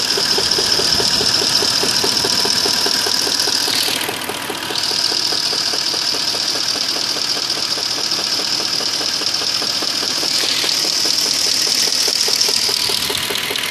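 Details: 2002 Audi A8 quattro 3.7 (AKC), hot idle in D or R: a fast, regular ticking knock with a high whine on top, gone while driving and unchanged for three years, no fault codes; source unclear.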